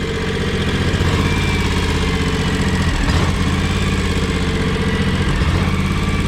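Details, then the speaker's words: John Deere X729 mower/tractor before service, cold at idle: uneven stumbling beat with occasional skipped firing; owner suspects clogged or choking carburetor. Engine missing at idle. "hear that how it's like missing when it idles"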